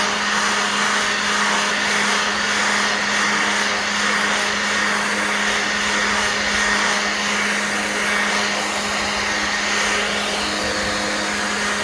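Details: Black+Decker 20V cordless blower/sweeper running on a new battery: a steady high-pitched electric whir with a constant airy rush and no surging or drop in pitch; the blower runs strong and healthy.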